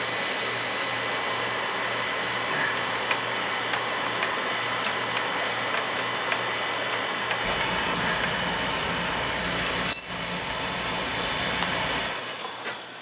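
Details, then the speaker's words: Oil burner during annual service, control jumped out to run it: steady blower roar with a smooth pump hum and no knocking or grinding; good flow, so filters are fine; normal operation. "Alright, we're getting a good flow here, so our filters are fine."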